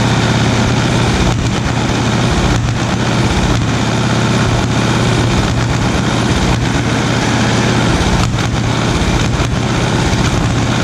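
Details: 1936 Caterpillar RD7 crawler, first start since its seized, water-contaminated starting engine was rebuilt from parts units: big diesel settles into a deep, steady chug with even firing and no knocks; normal running.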